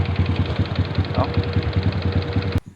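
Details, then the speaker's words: Old Honda Wave 125 that starts hard and stalls on throttle, idling with a sharp regular knock about seven per second; mechanic says not valve-related, suspects three worn rubber rollers inside. Cause unconfirmed. "ติอันดังแก๊กๆๆๆนี่มันบ่เกี่ยวกับวาวแล้วเนี่หบ่เกี่ยวบ่"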